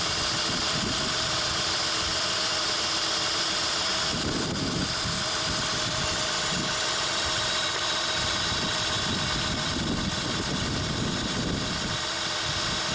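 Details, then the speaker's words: 2003 Honda Odyssey 3.5L, check engine light, code P0305, after swapping coil and clearing codes; uneven lumpy shaking idle from a dead cylinder, cylinder drop test shows one cylinder not working, ignition side suspected. "I'm going to start the engine the engine is definitely shaking"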